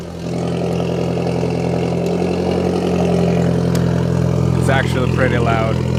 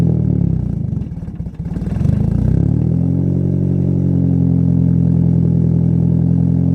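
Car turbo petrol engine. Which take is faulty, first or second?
second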